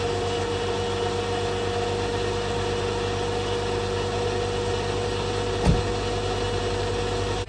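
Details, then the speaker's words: 2000 Honda Prelude idling after a power steering fluid change with Bar's Leak: steady mid-pitched whine over the idle, squeals worse when cold. The power steering pump and high-pressure line are worn out. "now it did help a little bit but unfortunately power steering is the pump is done and so is the high pressure line"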